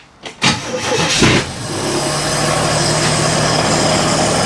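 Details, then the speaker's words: 1964 Chevy II first start after bodywork, with fuel poured into the carburetor float bowl and a little spritz. Short crank, then it catches with a burst and settles into a steady, even idle with no misses; it starts and runs cleanly. "I got my Uncle Tony gas can let's fill the float sorry I should have done this beforehand a little little Spritz it's fired up"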